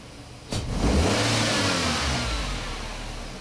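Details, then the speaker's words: 2003 Nissan Altima 2.5S four-cylinder automatic with poor idle and code P1102: snap throttle gives an initial rise, then revs hang and sag; hesitation, it doesn't want to respond; MAF signal erratic then stuck near 1 V, failing mass air flow sensor. "We got an initial spike that's okay, but all that up and down, you can, I don't know if you can hear the hesitation also. You hit the gas and it doesn't want to do anything."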